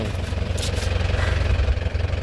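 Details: 2008 Isuzu Panther LS Turbo diesel: steady even idle clatter with regular low pulse, no misses or knocks, clean exhaust; normal healthy idle.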